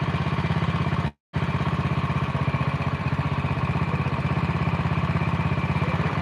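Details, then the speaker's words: Honda Win single, fast idle at about 1500 rpm: even, steady low thumping with no misses or knocks; idles normally. "Ora gemblodok nemen ning yo, ora halus nemen lah. Semene Mas. Di RPM 1500 suaranya kayak gini."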